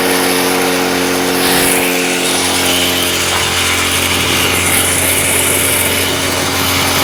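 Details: Stihl TS350 Super cut-off saw, first start after a rebuild with new crankshaft bearings and seals, Wartec piston and cylinder. The two-stroke revving sags and flattens in places (boggy) instead of climbing cleanly, so the low and high idle screws need adjusting.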